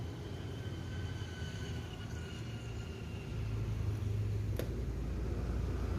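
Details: Victor 20-inch electric fan with a seized rotor shaft at the bushing, blades not turning: steady low electrical hum with no spin-up; fix is fitting a ball bearing in place of the bushing.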